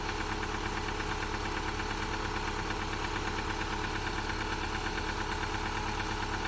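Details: Subaru Forester petrol engine at idle, first start after an engine install: a steady, even knock, about three a second, and it won't rev; the knock later quieted, and owner thinks it is slight piston slap and needs a valve adjustment.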